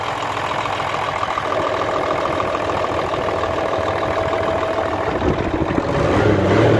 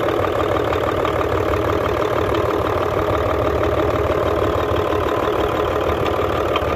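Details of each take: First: Hino Euro J08C six-cylinder truck diesel idling after air-compressor fault repair, checked for noise and smoke; steady even clatter with no heavy knock, now clear and healthy. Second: Hino Euro J08C six-cylinder truck diesel idling with a hard, regular knock of about three per second over the clatter, coming from the air compressor side. Air compressor connecting rod knock.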